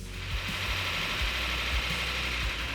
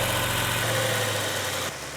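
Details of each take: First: Numbers-matching Cuda V8 on its first fire-up after a rebuild, showing 80 lb oil pressure while warming toward thermostat opening: loud lumpy running with a light quick ticking, a little lifter noise. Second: Rebuilt Cuda V8 warming up after its first fire-up, 80 lb oil pressure, temperature rising: smooth even burble with no knocks or ticks; sounds really nice, a healthy idle.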